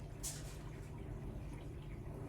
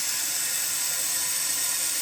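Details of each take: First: Kohler toilet with flush canister after repair, water turned back on and tank refilled: quiet room with a faint hum and no hiss or trickle; the fill shuts off properly, normal with no running water. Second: Kohler toilet with a flush canister running nonstop: steady high hiss of water trickling without stopping, as a worn flush canister gasket lets the tank leak into the bowl.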